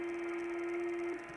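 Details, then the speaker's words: 1999 Air-Way Centurion vacuum demo, bag clogged: steady strained motor whine at one pitch then drops away; motor labouring against blocked airflow, no longer cleaning. "motor's going into a real big whine. As a matter of fact, right now, we're through cleaning."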